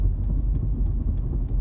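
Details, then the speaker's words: 1999 Jeep Cherokee XJ Dana 30 front axle with newly installed Spartan locker, driving a slow turn on pavement, heard inside the vehicle: light even clicks about three per second over low road rumble; normal locker ratcheting, similar to previous Aussie locker. "it sounds really good it's not super loud inside the vehicle you can hear it if i have music on i won't be able to hear it at all but it's not overly loud"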